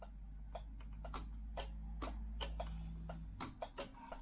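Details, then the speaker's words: BMW R1150GS high beam rewired through a relay fed from the low-beam circuit: crisp separate clicks over a faint hum as the switch is worked. The relay is pulling in and releasing normally. "the result is high beam which is now controlled by the relay you can hear it clicking hopefully"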